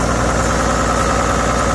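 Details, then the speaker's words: 20-year-old Toyota Land Cruiser 100 with 1HD-FTE 4.2 L turbo diesel, cold start, idling rough with lumpy uneven beat, clatter, occasional misfire and heavy smoke that clears after a few minutes; owner suspects failing fuel injection pump drawing air when cold. "running rough still smoking like billy oh turn off the power heater so it will smoke like this for the first few minutes and then completely go back to normal"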